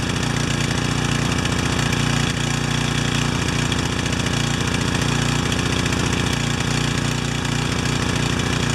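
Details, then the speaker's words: Pressure washer, running with its cover off, chugs fast and slightly unevenly, still rich on choke; the automatic choke, very sensitive to adjust, is slow to release but works. "Wow, that took a long time, didn't it? But it's an automatic choke. It's not a standard choke, so I think we're going to have to let sleeping dogs lie on this one."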